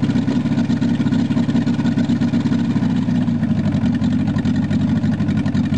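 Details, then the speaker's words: VW Rabbit long sat unused; it first raced wide open, then idled down after the cold start knob was pushed in and out. Now a steady, even idle with a smooth low drone and no hunting or surging. Normal idle. "Well, I got her to idle down at least."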